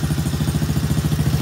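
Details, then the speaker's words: Kids ATV after carburetor cleaning, left running before an oil change: small single-cylinder thumps at a quick, even beat, steady with no misses or clatter; strong healthy idle, slight smoke from muffler. "little bit of yeah, it's actually sounding really good."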